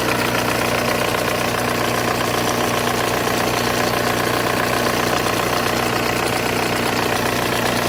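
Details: Volkswagen Golf 1.9 TDI diesel at idle with an added rattling chatter of about two to three knocks a second, caused by a power steering pump with excessive play in its shaft.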